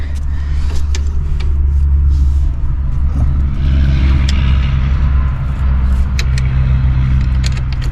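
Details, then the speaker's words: 1964 Pontiac Grand Prix 389 V8 cranked with all spark plugs removed: starter spins it freely with a low even rumble, no binding or clunks; normal cranking. "all right well we just cranked it did uh pull plugs all plugs out of it and gotta crank over it does spin over sounds good"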